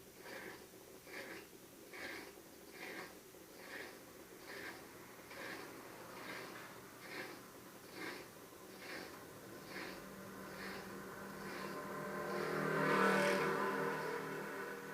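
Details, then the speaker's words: Whirlpool washing machine that would not spin, with blinking LEDs, now on spin/drain cycle after repair: lid lock engages, drain pump gives steady soft pulses about two and a half per second, slight swell near end; drain pump running normally, LEDs no longer blink. "the lock on the lid turned on the drain pump squeezed and drained which is the function that we have it on"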